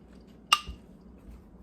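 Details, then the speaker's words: Jars of canned bacon just lifted from a Nuwave 13qt electric canner: one sharp, bright metallic ping in a quiet room, then silence; the jar lid pulling down and sealing properly. "Oh, did you hear it? I need to quit talking. I heard it ping. You hearing it ping?"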